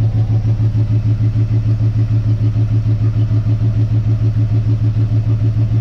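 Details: 1958 Dodge Coronet Lancer, barn find, warming up after distributor reinstalled; swapping plug wires gave the same result: steady idle with a regular uneven lope, about 200 beats a minute, one cylinder dropping out; dead cylinder misfire.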